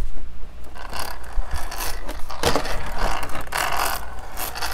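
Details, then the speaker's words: Redcat Blackout XTE Pro 1/10 brushless electric monster truck after several jumps: rough, uneven grinding and ratcheting as the drivetrain is turned; front and rear differential gears binding, owner suspects shims. "it's got some issues after I jumped it a few times and now it seems like the front and rear gears on it kind of bind up a little bit"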